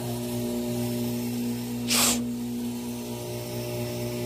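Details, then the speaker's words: 4" submersible 3/4 hp 8 gpm well pump running in a test tank at about 5 gpm and drawing 7.5–7.6 A. A steady, smooth low electric hum with brief water hiss; considerably quieter than the other pump, healthy. "but it does sound like this one runs considerably considerably quieter"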